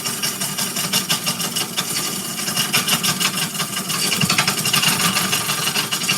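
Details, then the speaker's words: Walnut bowl on a wood lathe, cutting where the wall curves in: gouge chatters with a sharp ticking about three times a second over the cutting hiss, the tool catching on a crack in the bowl wall. "sounds like I found another crack in there. Let's see. Did I find another crack? No, just, well, yeah, sort of right there. That's probably what I was hitting."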